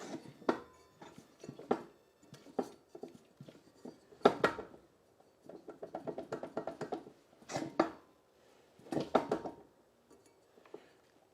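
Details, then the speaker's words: Free Troy-Bilt mower with a Honda GCV engine, spark plug wire off and blade turned by hand, oil dark and almost none left: irregular bursts of dull clunks inside the crankcase; rod knock from oil starvation suspected; crankshaft looks fairly straight. "makes some very interesting sounds inside the crank case can you hear that H let's think about this almost no oil and knocking sound inside the crank case I'm thinking these two things are related"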